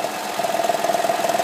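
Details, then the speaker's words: Ford 2009+ EVAP leak codes P0456/P0457/P1450, engine idling, purge line off: rapid fluttering hiss and pulsing suction at the open port; once the valve connector is unplugged the hiss stops but the suction doesn't; canister purge valve stuck open, failing EVAP test. "you hear that once you disconnect this that noise and the suction Co should go away now the noise went away but the actual vacuum did not it'll stick to my finger it should not be doing that"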